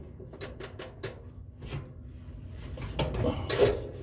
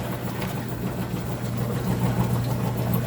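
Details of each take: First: Frigidaire top-load washer that smelled burnt and screeched, spin test after a new belt was fitted. Scattered ticking, then a steady low hum and growing rush as the tub spins up; suspected upper bearing noise, possibly just phone placement. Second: Frigidaire top-load washer that smelled of smoke and screeched on spin, worn belt suspected: low even hum with gentle back-and-forth churn, no scraping or knocking during agitation; normal agitation.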